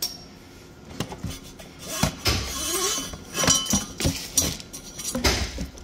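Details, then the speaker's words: 2016 Chevrolet Tahoe 5.3 L V8, 140,000 miles, rattle from under the truck, no check engine light: driver-side catalytic converter removed and shaken while still warm gives loose glassy clinking, with separated, broken substrate chunks tumbling inside the shell. "see right down in the very bottom be the bottom down here it's separated and it pieces are broken off of it"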